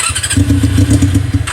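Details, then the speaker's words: Honda CB400 four-cylinder with four carburetors in an off-road golf cart, original carb setup before tuning: catches with ragged uneven burble then sags and fades; runs only with choke held on. "ติดนะแต่ว่ามันต้องโช้คตลอด"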